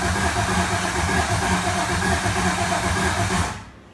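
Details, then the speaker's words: Solstice with Gen V L83 5.3L V8 swap, E92 PCM, first start attempt; rail pressure over 2,000 PSI, 8.5 degrees advance, voltage good, accelerator pedal not working; steady cranking about three turns a second, never fires; crank no start, ignition suspected. "It's turning over good, but it just doesn't sound like it's really getting any ignition."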